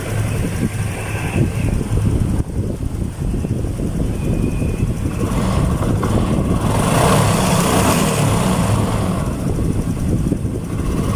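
Steady low single-cylinder putter at idle with no knocking or tapping over it; this small bike engine is idling cleanly.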